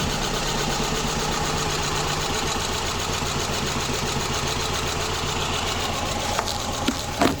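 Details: Subaru Impreza with codes P0301, P0303 and P0038, running badly at idle: an uneven idle with an irregular stumble breaking the rhythm and a few clicks near the end. The misfire persists with iridium plugs fitted, and the cause is not found.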